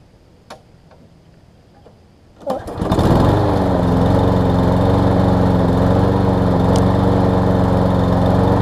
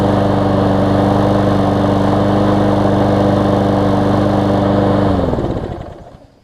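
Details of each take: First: Lawn Boy mower, 20-inch deck, Briggs 675 engine, low on fuel, sometimes won't restart warm: starts on first or second pull, steady buzzy run with a thin, hunting note; lean running, starving for fuel or air, dirty carb. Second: Newer Lawn Boy mower, warm after about ten minutes running, carb cleaned for occasional no-start when warm: runs smooth and even at steady speed, then winds down cleanly on shutoff; restarting well.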